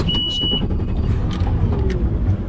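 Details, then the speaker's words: Mercury outboard on a boat just back from the dealer after a repair, first run pushing off; smooth steady drone with no skipping or surging under water and hull noise; normal running. "Mercury sounds good so far."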